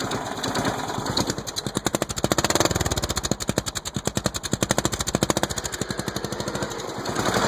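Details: Single-cylinder engine's first start after being flooded with mossy water, starter brushes cleaned: rapid, even put-put that swells and settles and keeps running on its own. Normal running.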